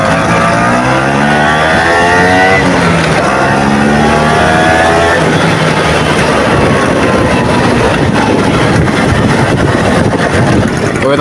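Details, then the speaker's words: Vespa PX 150 after engine rebuild fixing fourth gear jumping out and hard kick-starting, started and warmed up at length before road test: clean throttle blips then steady buzzy run without knocks or misses; normal running. "Nah, sekarang coba kita nyalakannya. Jadi ini mesti kita panasin lama dulu supaya ee hisapannya itu apa ya? Lanyak ya, loncer, Teman-teman."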